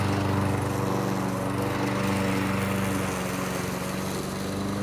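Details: Briggs & Stratton single-cylinder engine on a Murray lawn mower, rebuilt with a new crankcase gasket after compression loss, mowing tall grass: steady buzz holding even as it bogs slightly. Normal running under load.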